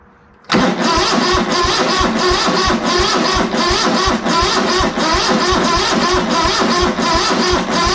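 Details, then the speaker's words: ZT200 mower engine after ignition conversion, backfires on start and won't keep running; ragged, uneven chuffing about three times a second, popping and stumbling. Owner suspects carb issues or a failed fuel solenoid, since the white wire had to be unplugged to get spark. "yeah i might just have carb issues you know what though i did just have a thought that if we had to unplug the white wire to get spark something's telling it not to run"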